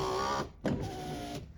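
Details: Mercedes W124 power window after the ignition switch was fixed: short smooth electric whir of the window motor, stopping and starting cleanly with no grinding or strain; the window works properly.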